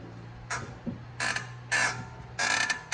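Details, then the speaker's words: Brakes on a BMW squeal loudly, about five creaking squeaks, each time the pedal is pressed with the car parked; caused by rusty, dry, ungreased pads and caliper slide pins, fixed by greasing them. "All right, if you got squeaking brake on a BMW, we're gonna show you the fix for this."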